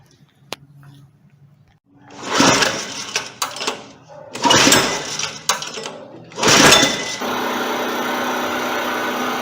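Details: Honda 4-stroke engine on a commercial pressure washer that would not start, after valve clearance adjustment (engine has a decompressor) with fuel valve and choke open: several rough pull-start bursts, then from about seven seconds a steady even run.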